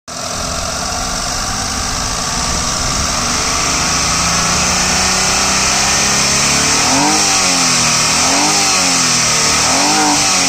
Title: Eon Era + 2015, Red color, UP16, Engine noise.